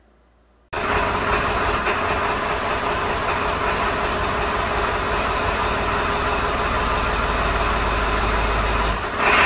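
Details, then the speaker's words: 2002 Ford Super Duty 7.3 Power Stroke diesel at idle with injector driver codes on right bank, used replacement IDM: uneven lumpy idle running on half the cylinders; later traced to rubbed-through 115V injector feed wire near C110, left valve cover. "sounds like it's running on half the cylinders functional test injector Buzz test isn't that special"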